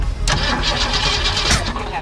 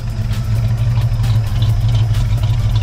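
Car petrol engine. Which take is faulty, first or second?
first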